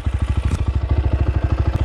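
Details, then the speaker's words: 2022 SSR SR300 single-cylinder dirt bike with FCR carburetor, in neutral after stalling on trail: steady, even thump about ten beats per second, no misses or clatter; healthy idle, though idle could be raised slightly to help stalling. "Yeah, idle sounds good. Could turn that idle up a little bit. Might help with that stall."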